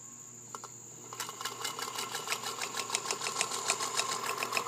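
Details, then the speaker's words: Serviced Singer Featherweight 221 sewing light-medium linen with new size 16 needle, belt, grease and oil: light even tic-tock, about three or four per second, from the turning spool; runs normally, quiet and stable. "the tic-tock is actually the spool that you hear turning there"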